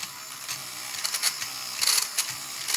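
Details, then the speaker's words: 1960 tin toy VW Beetle, drive mechanism tested off its tires so gear slack isn't taken up: irregular light high-pitched clicks and ratcheting as drive engages; gears slipping, needs fixing. "you see there is on here slipping when i try to engage it"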